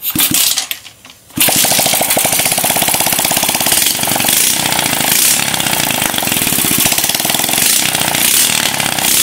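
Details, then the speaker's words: Scrapyard Suzuki Smash small motorbike, first start, no oil added yet: runs with fast, busy metallic top-end clatter over exhaust; loose cam chain, needs cam chain tightening and carburetor setting. "wes Suaranya kayak gitu dulu kita perbaiki keteng dan juga setting karburator"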